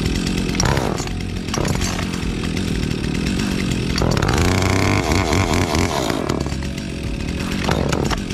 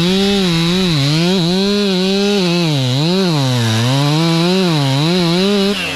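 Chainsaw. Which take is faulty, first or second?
second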